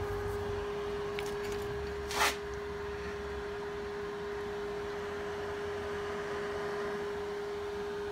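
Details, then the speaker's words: HPEVS AC-35 induction motor on a DIY Hübner-design inverter, 24 V bench test with no load: steady mid-pitched whine with one short rush near two seconds. It starts differently than before and throws a never-seen encoder warning, cause unknown. "that give me an encoder warning which I've never seen before so I'm not sure what that is I haven't changed anything yet it does start a little bit differently you hear it"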